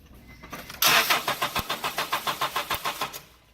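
Starter spins the engine at an even three or four turns a second for about two seconds, but it never fires: crank, no-start.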